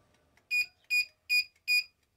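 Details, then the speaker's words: CNSWIPOWER 1500W pure sine inverter on 28.45V batteries, loaded with an air fryer at 200°C reaching 1600 W: four sharp high beeps as it trips on overload and shows a fault. "1600 ele bipou ele tá bipando aí com 1600 watts certo então ele tá bipando desarmou o pessoal"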